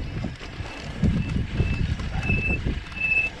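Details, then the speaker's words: SameBike L026 version 2, 48 V hub-motor electric bike braking downhill off road: thin high squeal coming and going over wind and tyre rumble; squeaky rear disc brake. "so my back break is a little bit on the squeaky side as you can hear i'm not gonna go too too fast down this way oh gosh that break sucks"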